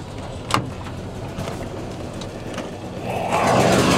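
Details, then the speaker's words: Riding lawn mower that has run rough since running low on oil: uneven running with scattered sharp pops at irregular intervals before the revs swell; operator thinks the motor is shot, cause unconfirmed. "Sounds like it's starting to blow up. Yeah, I think the motor's shot."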